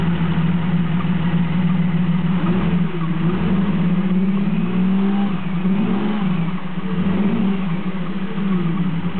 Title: 1993 Jeep Cherokee misfire.